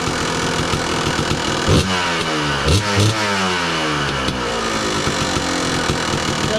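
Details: 2002 Kawasaki KDX 200 two-stroke, low hours, recently tuned, warmed up: crisp throttle blips climbing sharply and dropping cleanly back to idle with no stumble or bogging; healthy, responsive engine with quiet KIPS valves.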